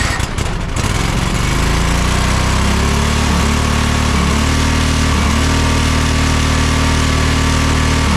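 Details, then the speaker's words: John Deere 425 riding mower, Kawasaki twin, after replacing the bad ignition coil: at full throttle it settles into a steady, even high-speed drone with both cylinders firing and no stumble; rpm possibly set slightly high. Normal running. "sounds like we might be going a little bit fast as far as the RPMs are set or something like that but everything else is working great"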